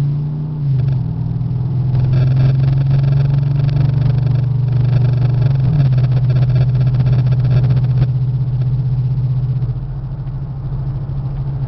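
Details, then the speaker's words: 1994 Chevy Caprice Classic wagon V8 cruising about 50–55 mph: deep, heavy drone that holds at speed and rises as the car pulls. Worn exhaust letting the V8 roar through. "There we go. Now you can hear that exhaust."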